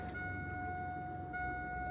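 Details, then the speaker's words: 2002 Chevy Silverado with intermittent crank-no-start, key-on prime with pressure gauge fitted: steady mid-pitched pump whine, but pressure only reaches about 35 psi instead of 50-60 psi. "the pump energized and it brought the pressure up to like 35 that is not not going to be adequate pressure you shouldn't be maintaining 50 to 60 psi under that test"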